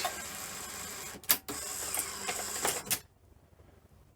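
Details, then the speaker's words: Sony SL-C20 Betamax after front loading system, reel motor and button repair; short whir, then a sharp clack and a second clunk as the tray lifts out, smooth and even; normal cassette eject. "Doesn't sound too bad either."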